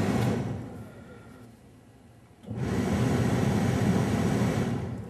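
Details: 1978 Mercury Grand Marquis heater blower motor newly retrofitted with a relay and 20 A fuse, key in accessory: a quieter whir fades, then the fan spins up abruptly to a steady, even rush of air; normal blower operation.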